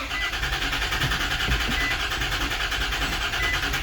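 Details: 2004 Nissan Pathfinder with an electronic key cranks steadily at about three turns a second but never starts; scan shows crankshaft position sensor circuit code, immobilizer suspected, cause not confirmed.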